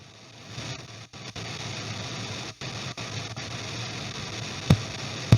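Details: EVH 5150III 50-watt 6L6 tube amp head, under a year old: intermittent hiss and crackle cutting in and out with sharp pops, heard on all three channels, caused by two bad 12AX7 preamp tubes.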